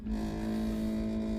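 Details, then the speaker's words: Furrion 12 V RV refrigerator, still cooling, steady buzz with low hum from compressor area at back: loose tin/aluminum panel vibrating, amplified by the compartment, not a failing compressor. "So if you think your compressor's going out it's not that guys, it's the little tin panel."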